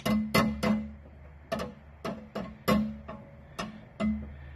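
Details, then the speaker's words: Toyota Camry driver's door with the panel off, making irregular hollow cowbell-like metal clanks from a broken strut rattling loose inside the door whenever the door moves or the car hits a bump. "so that's just what's rattling around in there every time i hit a bump or open and close the door"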